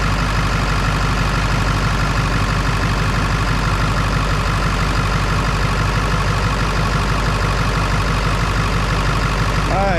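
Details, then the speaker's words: Ford 7.3 Power Stroke diesel, slow cranking traced to one battery's connection, after the fix: steady even diesel clatter at idle with firm low rumble, no misses; charging 14.3 V on both batteries. "so if we see in 14 2 or ish 14 ish on both of them then we fixed our connection already that sounded a lot better"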